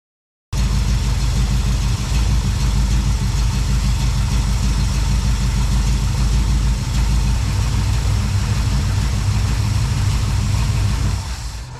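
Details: 1972 Plymouth Valiant 318 V8 after a Holley 600 four-barrel rebuild, no fan clutch: low, slightly uneven, lumpy idle without misses; runs, but way too rich with too much fuel at idle, so the rebuild went wrong somewhere.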